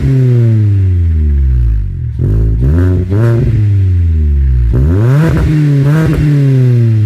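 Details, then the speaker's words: 2010 Kia Forte Koup SX, 2.4L four-cylinder, six-speed manual, about 5,000 miles into ownership, with an aftermarket Flowmaster muffler; a deep grumbly exhaust note, louder than stock, swells through two quick revs and settles to idle with no rattles or misses. "I put a Flowmaster muffler on the car. It's not really that much louder. It's definitely louder than stock. And you can hear it has a deep almost grumbly tone to it."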